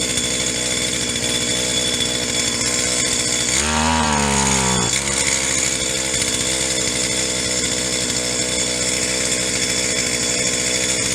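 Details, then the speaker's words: Stihl HL 75K two-stroke single-cylinder hedge trimmer after new parts and priming, choke off: high buzzy note dips briefly then holds even, no longer flooding; high-speed mixture circuit suspected plugged. "let's try this again now she's not hopefully not gonna flood herself up she's got some new parts sounds good turn that choke off"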